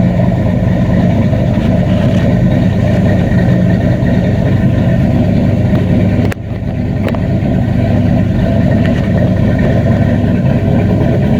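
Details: 94 Caprice, stock 5.3 LS swap on a Holley Terminator X MAX, FloTech manifolds, Flowmaster 10 Series mufflers: a deep, even drone at a raised first-start idle. It runs rich at air-fuel 9.6, likely from excessive fuel pressure; a regulator is needed.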